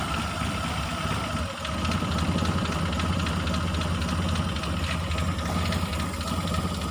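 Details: Mitsubishi T120SS fuel-injected, hard starting, sputtering and high fuel use: low idle with uneven stumbling beat and irregular dips; rough idle misfire.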